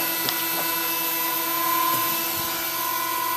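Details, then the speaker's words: Several 20mm case fans in a Dell GX620; steady high whines of constant pitch, smooth with no rattle, but so loud the owner is unsure about keeping them or adding one more. "I may add one, but, again, I'm not totally convinced that that's what I want to do. Because, yeah, that's a lot of noise."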